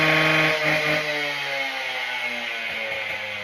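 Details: Husqvarna K770 two-stroke cut-off saw after a carburetor soak and clean and a new spark plug, started on choke: the engine drops from a high rev and settles to a steady idle, running normally.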